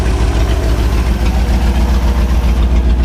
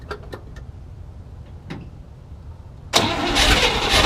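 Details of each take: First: 1967 Chevy C10 truck's 327 V8 (11,200 miles) on first start after 33 years parked, fuel system sorted, idle fine-tuned; loud, deep, even loping rumble on open pipes with no knocks or misses; normal idle. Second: 1967 Chevy C10 with 327 V8 (11,200 miles), first start after 33 years sitting, fuel system being sorted: weak cranking turns, then it catches and runs ragged a few seconds; hard start, fuel delivery problem suspected.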